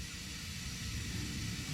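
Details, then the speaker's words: Mercedes 190E W201 vacuum central locking, heard at the door while locking slowly: steady soft hiss with no rhythm after the lock engages; vacuum leak, later traced to a split small rubber pipe inside the door. "Well, it took its time, it's locked now, but yeah, you can definitely hear a leak in the door here somewhere."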